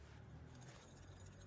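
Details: Electric scooter disc brake after adding a shim to the caliper bracket on the piston side to stop pad rub: the spinning wheel gives only a soft low hum, with no squeak or rub.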